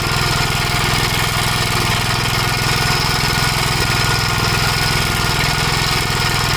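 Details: 1956 Gravely Model L single-cylinder, governor removed, after full-throttle running: steady thumping with irregular pops, running rough, smoking; owner suspects oil-fouled plug, possibly broken ring; carburetor and points fine; unconfirmed.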